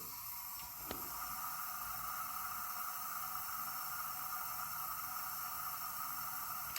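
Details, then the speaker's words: 1981 Honda CB900C, engine stopped during leak-down test: steady airy hiss of compressed air escaping from the exhaust, not the intake, on cylinder 3; burnt exhaust valve suspected, piston rings also possibly bad. "These things are notorious for burning exhaust valves, as you saw on the other CB900C motor I did. But you can hear this one's leaking really good."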